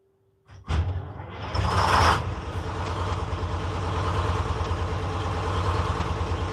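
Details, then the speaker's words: 1948 GMC Silversides PD3751 Greyhound bus, Detroit 6-71 diesel after in-frame rebuild; first start after priming the dry head with fuel. Brief crank, quick flare, then a smooth, steady two-stroke diesel idle; a normal, healthy idle. "So there you have it, guys. I haven't road tested it yet, but I think I would call that a pretty good success for a first start."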